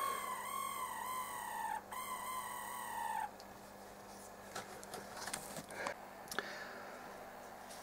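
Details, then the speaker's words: 1972 Dynatron CP1 cassette tape deck, motor removed from the deck and run out of it: high warbling squeal near one kilohertz, wavering in pitch for about three seconds, like a distress bird; motor squeal, cause unconfirmed. "I think the reason didn't spot it maybe is because I was running it sideways but yeah that's not good does it sounds like a distress bird"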